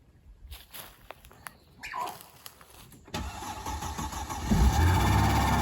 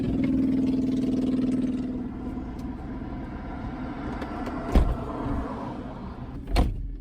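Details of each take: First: 2005 Mercedes-Benz E320 wagon first start after sitting a long time, with battery power added: short crank, catches near three seconds, runs low and slightly uneven; later shut off and would not restart. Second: 2005 Mercedes-Benz E320 wagon, service overdue by 36,000 miles: starter spins briefly, engine catches cleanly and settles to a smooth steady idle, no knocks or misses; runs very well.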